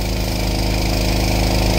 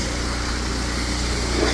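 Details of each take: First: Old power washer engine at full throttle, drone sagging and dropping in pitch as the year-old pump, turned up for more pressure, loads it; fuel isn't dirty, and weak governor springs can't hold its speed. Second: Old power washer engine after repair, RPM turned up to offset governor springs stretched from years of running at full RPM; it now holds a steady, even drone with no hunting or surging, normal at full speed and power washing properly.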